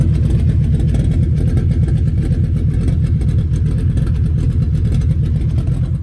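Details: Volvo 850 build, first fire-up after the engine was reinstalled: strong, even engine note with a deep steady pulse and no knocks or rattles. Healthy normal running.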